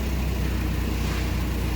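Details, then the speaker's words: Nissan forklift engine at idle, after replacing the faulty engine computer that had caused a rough-running single-cylinder misfire. A smooth, steady low rumble with no skipped beats. "and even the sound of the engine now don't hear the cylinder misfire anymore"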